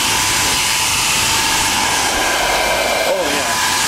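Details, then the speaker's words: IMC Magnetics 400 Hz vaneaxial aircraft fan motor, 200 V delta, fed about 100 V at about 200 Hz at half speed, just under 1750 rpm: strong rushing airflow with a steady whine that holds speed without slowing; it sounds powerful and healthy. "Well, that sounds quite powerful already."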